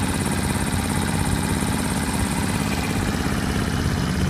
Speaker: why they call these little sewing machines is because they they just have the tiniest little tick to them I don't know to me it's actually quite therapeutic I can hear the part working but that's not invasive or anything